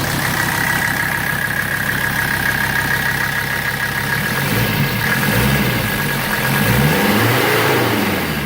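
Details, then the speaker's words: 1984 Mercedes-Benz 300TD diesel, set back to high idle (oil pressure about 2 versus 1.5 at 650 rpm idle), then pedal blipped: even clatter with revs rising and falling cleanly, no knocks, and a breather puffing. Sounds healthy. "Sounds good. And then this, that's just doing its thing right there, puffing away."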